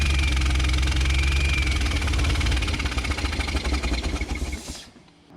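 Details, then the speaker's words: 1965 Chevrolet Bel Air 230 inline six that sat 35 years, running with a spark plug removed: loud fast chuffing and a buzzy, airplane-like drone from the open plug hole, then shutdown; owner says it needs a piston. "put that spark plug in so it doesn't sound like an airplane see if that quiets her down a bit"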